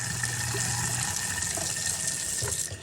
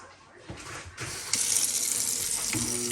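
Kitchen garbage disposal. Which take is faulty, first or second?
second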